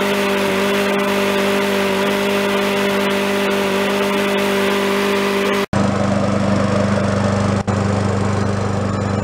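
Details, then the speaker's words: Free yard-sale Craftsman mower, about ten minutes after the crankcase oil was found just above the high mark: single-cylinder engine holds a steady, even drone with a brief dropout. It is burning off oil on the contaminated muffler. Normal running. "that's about ten minutes later and it seems like it's pretty much good except for what like I said the muffler was gonna be contaminated with Nick"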